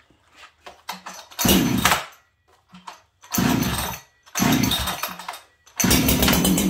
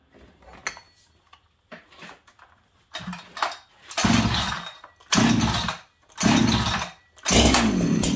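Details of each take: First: Ported Farmertec 288 kit chainsaw with a lightweight piston and a free-breathing, hollow-sounding pipe. Short, sharp blips from idle snap to a high scream and drop back cleanly; a crisp, healthy saw that lights up on the trigger. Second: Stock Farmertec 288 kit chainsaw, later found almost out of fuel despite seeming to have some. It fires in short uneven bursts, revving then dying about once a second and won't hold steady; the owner first thought it needed a tune.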